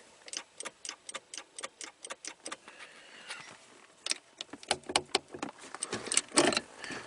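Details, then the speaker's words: 2014 Camaro with a stuck ignition key, after the shifter switch was reseated with RTV: crisp, even clicks about four a second, then a looser patter; the park lock solenoid is pulling in solidly and working normally. "it's not even fully dry yet but you can see how it's still still just solid it's gonna be so and you can hear the solenoid"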